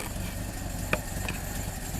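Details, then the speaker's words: Carbureted engine after air cleaner hardware tightened to cure a vacuum leak that caused stalling: short steady even idle with one small click, holding smooth without dying. "This thing runs smooth now."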